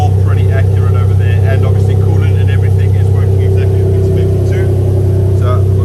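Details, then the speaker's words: Toyota 1G-FE VVT-i in a Lexus IS200 on new ECUMaster Black harness: loud open engine note climbing and dropping evenly with each throttle blip, no misses or knocks; runs smooth, normal revving. "okay guys so yeah she runs smooth super happy with that"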